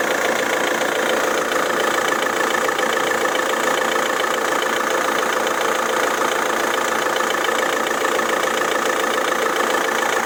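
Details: Idling engine knocks steadily about three or four times a second from a failing crankshaft harmonic balancer damper pulley; this is the second time the pulley is being changed.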